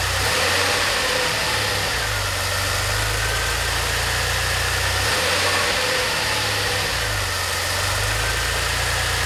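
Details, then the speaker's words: DeLorean, manual transmission, after CO adjustment and idle system work, a few minutes after starting: steady even idle with smooth unchanging rhythm, no misses or knocks; healthy warm idle. "Several months later. That sounds pretty good. A few minutes later."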